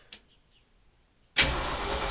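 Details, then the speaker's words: 1965 Ford F250 being revived, about six bent pushrods replaced, started cold in a closed garage; quiet pause, then it fires at once and holds a steady idle with no ticking or clatter; normal cold start. "see if i can crank it up real quick for you it does start so let's see"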